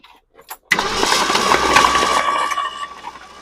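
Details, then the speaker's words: Long-abandoned 1966 Ford Ranch Wagon ambulance cranking at an even rhythm for a few seconds without firing; oil pressure light goes off, but there is no spark, crank no start. "That means we got oil pressure. All right. Why do we have no spark?"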